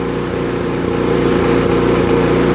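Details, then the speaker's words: Chipper/shredder small engine fired after carburetor cleaning, before full reassembly. Fast, uneven beat that briefly stumbles and catches again: a slight sputter rather than clean running. "So it does have a little bit of a sputter."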